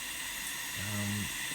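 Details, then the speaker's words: Leak-down test on cylinder 1 of a six-cylinder engine already condemned, pressure raised past 80 toward 100 psi: loud continuous rushing hiss, high leakage zone on the gauge, air escaping past the intake valve. "So straight away you can hear that we have a lot of leakage."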